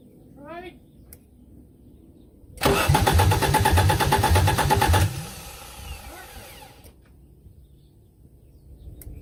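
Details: 1984 Audi 4000 Quattro five-cylinder, first start after reassembling the CIS fuel injection, intake, ignition and vacuum systems, with the exhaust disconnected: quick, even cranking that almost fires but never catches.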